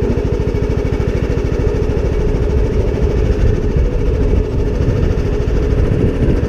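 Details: John Deere D110 lawn tractor, running on choke with drive disconnected after fixing a no-crank fault, runs smooth and even at steady speed with no misses or knocks; normal running.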